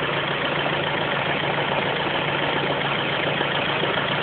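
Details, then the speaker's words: Ford Focus at idle: faint light tapping that comes and goes from the top end, following engine speed; intermittent top-end knock, cause unknown. "Sounds like it's coming from the top end, and it's certainly top end speed."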